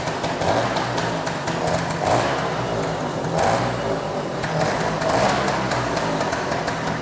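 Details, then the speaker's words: Freshly restored Vespa P200 two-stroke, motor never run before, choke pulled, air filter off, first start after fitting fuel and oil lines, oil line priming: repeated kicks, starts in about five, runs slightly rich but healthy. Normal first start. "Uh started up about five kicks. pretty good for a bike that uh motor that's never been run, never been lit off."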